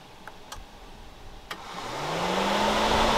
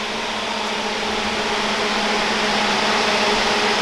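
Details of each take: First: 2012 Honda Odyssey running warm, radiator fans commanded on by scan tool at idle: clicks, then one fan whirs steadily while the other doesn't move at all though it should have kicked on. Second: 2011-2017 Honda Odyssey (2012) radiator cooling fan removed from vehicle, commanded on by scan tool while spinning freely: smooth steady motor whir with airy rush winding down evenly; normal fan motor operation, working.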